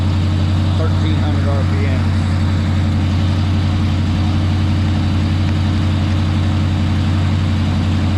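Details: Chevrolet Monte Carlo V8, possibly an LS with an SS conversion, on cold start: steady smooth idle sitting noticeably high, well above normal idle speed, with no misses or knocks; high idle to be addressed.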